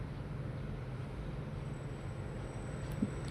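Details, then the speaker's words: Washing machine with broken drive belt, after belt replacement, back cover refitted: drum turns with a quiet, steady low rumble, reversing normally, no slipping squeal or knocking; repaired and running normally. "Turn it on, then start. Yeah, reverse. Alhamdulillah, it's moving."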